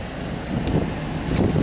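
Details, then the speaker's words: V8 at idle after replacing driver-side exhaust manifold studs: low, even rumble with no ticking or tinny rattle from the manifold. The earlier noise is gone and the exhaust sounds sealed. "En mettant en route le V8. Voilà. Et là, il n'y a plus de bruit, il n'y a plus de bruit de casserole."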